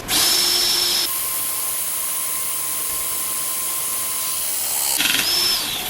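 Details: Pinchen HL-400B cordless hydraulic crimping pliers, after hydraulic oil was topped up during repair of an oil leak that appeared after a few crimps: short rising motor whir, then a steady, even pump whine that stops cleanly. Normal crimp cycle.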